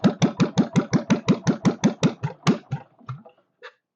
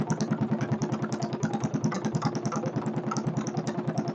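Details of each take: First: Kohler K301 stationary single-cylinder, first start with a bit of chainsaw gas mix added for lube and fuel pump leaking: thumps around three a second slow and weaken until it stalls; idle speed needs raising. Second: Kohler K301 stationary single-cylinder engine, acquired free for parts, first start-up after checkout with chainsaw two-stroke mix added for lubrication, idle speed needing adjustment: steady even chuff at slow idle, no sharp knock heard; owner unsure but says motor sounds good.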